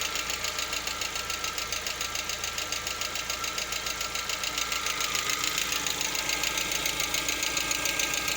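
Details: Lada Vesta, 64,000 km, idling partly warm around 50 °C: steady light metallic ticking about two per second; knock absent cold and disappears at operating temperature, source unclear.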